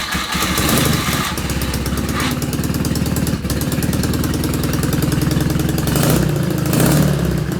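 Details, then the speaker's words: BMW R80 boxer twin custom build, first fire-up after the ignition and new wiring were done: engine catches and settles into an even, lumpy idle with steady beat and a couple of light throttle blips; sounds healthy, normal idle. "Also, I don't know if you've seen it, but we've wired up the ignition. The bike fired up. It sounds amazing."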